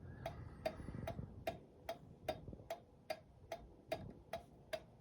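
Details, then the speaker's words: Reassembled 1911 New Haven Cunard Line kitchen pendulum clock on test after restoration: crisp even ticks about seventy-three a minute against a quiet room; a good-sounding clock, beating evenly, later ran well for over 24 hours. "it's a good sounding clock. Can't wait to hear the chime."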